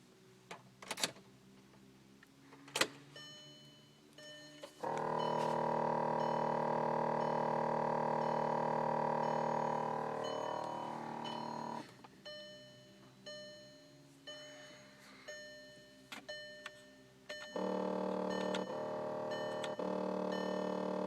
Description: Noise coming from passenger side floor/bay area.